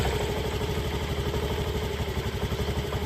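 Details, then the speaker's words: Honda Activa 6G BS6 scooter after repair of a jammed wheel and odd noise, belt and clutch rollers refitted: self-starts first press and idles with a steady even putter, no scraping or clatter from the belt drive. The noise is no longer like before. "बघा one self start झाली मित्रांनो गाडी. आता बघा आवाज. आधीसारखा नाही आहे"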